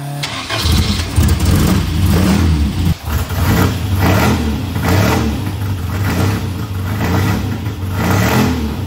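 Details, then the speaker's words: Barn-find Elva Courier Mark III race car, first start after sitting, plugs refitted: engine cranks, catches right away and revs in steady surges, running evenly with no knocking; normal start and revving. "tachometer is not working fuel gauge probably not working but runs sounds pretty neat too"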